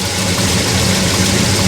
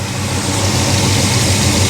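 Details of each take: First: Chevrolet Monte Carlo at idle about 850 rpm with 38° of timing, first run with transmission hooked up, no driveshaft; steady, slightly fast and lumpy idle with hard exhaust edge: ignition timing too far advanced, timing to be reduced. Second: Monte Carlo after sitting, with 38° timing, idling about 850 rpm: steady even low rumble with no misses or stumbles; a clean, healthy idle.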